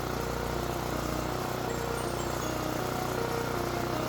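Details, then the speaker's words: Generac generator repaired after catching fire from starting ether, started on first pull with choke, carburetor plate, air filter and cover not yet reinstalled: small single holds a steady even drone with no surging or knocks; running smoothly. "And with it running smoothly, that can only mean one thing."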